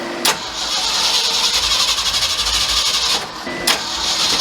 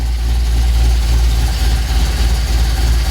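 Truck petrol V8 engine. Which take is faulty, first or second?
first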